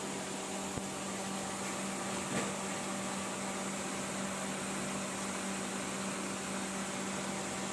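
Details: Perodua Alza AC, previously noisy with a burning smell, compressor removed and refitted. It now gives a quiet, steady low hum with a soft airflow hiss and no grinding or rattle, and the AC blows cold. Compressor running normally; a switch is still suspected faulty.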